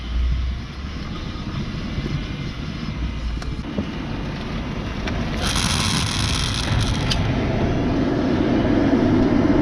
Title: Model 3 grinding noise